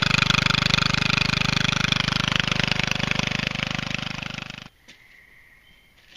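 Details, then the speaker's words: MTD Statesman riding mower engine running with the clogged, seized muffler removed: loud, sharp, rapid even popping from the open exhaust, about three and a half beats a second, steady before shutoff; normal running without muffler. "But, the MTD is up and running. And I just need to get a muffler onto it, along with a solenoid, and we should be able to make some money on this deal."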